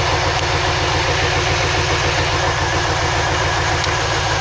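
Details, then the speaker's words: 2003 Chevy Silverado 2500, 6.0 V8, P0300 random misfire code: steady idle that turns loping while individual cylinders are unplugged in a drop test, showing which cylinders contribute. "now what we're gonna do is while i'm plugging the cylinder like this well that cylinder really ain't doing the oven"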